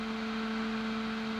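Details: NUX Cerberus guitar pedal at high gain with cab IR on, daisy-chained power: steady buzz near 220 Hz with its octave above, over hiss, display interference whine leaking into the output.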